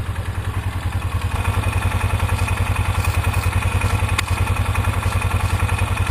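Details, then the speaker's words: 2003 Polaris Ranger 500 after oil leak repair with new gasket and RTV, idling about 10 minutes: even, steady low thumping at about three and a half pulses a second, no misses or knocks, no leaking or spraying; normal idle. "Well, it's been idling now for about 10 minutes. So far, no leaking, no spraying."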